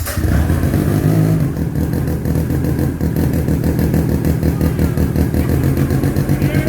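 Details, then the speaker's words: 1970 Arctic Cat Panther barn-find snowmobile with a 303 cc Sachs rotary engine, first start with key on, choke on, primer pumped twice and a little throttle: a fast, even two-stroke burble that fires cleanly and runs smoothly. "that happened way better than i thought it was going to"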